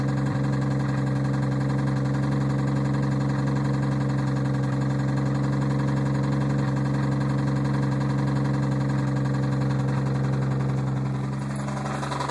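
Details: 1990 Toyota Supra Turbo, 5-speed, at idle: a regular ticking knock about three to four times per second rides over the engine note. The engine is knocking and the cause is unknown.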